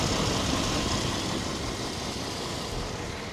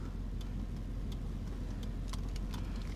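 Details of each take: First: 1997 Chevy 1500 V8, 330,000 miles on the body, motor mileage unknown, idling while the owner listens for a possible lifter tick: even, steady idle with no ticking or knocking over the exhaust rumble; the motor sounds healthy. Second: 1997 Chevy 1500 (OBS) V8 at idle, hood open: light, irregular ticking of a few ticks per second, like a blinker, over a steady low idle. Someone suggested lifter tick; cause unconfirmed.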